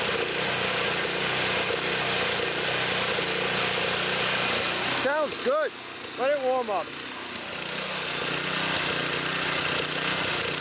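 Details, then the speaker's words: Trash-picked Toro Power Clear 621 E snow thrower, 163cc OHV four-cycle, previously wouldn't run, first start after repair, primed, choke on, warming up: steady fast idle with faint squeak midway, settles smoothly, sounds healthy. "got it going let it run let it warm up I'm leaving a choke on got it"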